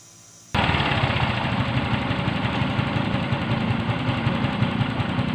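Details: Yamaha Mio M3 125 scooter after repairing the EOT sensor wiring that caused MIL code 28 and hard starting with no idle; engine fires and holds a steady, even idle with a fast regular beat, code cleared, runs smoothly.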